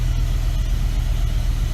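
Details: BMW E63 M6 with cylinder 4 misfire codes, no spark on that cylinder: rough lumpy idle with uneven low pulse and stumbling beats; likely failed coil pack, replaced on passenger side.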